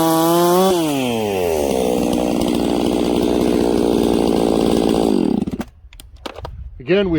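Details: Ported 66cc Echo 670-class chainsaw, pre-warmed, cutting wood with hard knots: steady scream under load dips for a split second on a knot, then gets right back on the pipe; brief stumble under load.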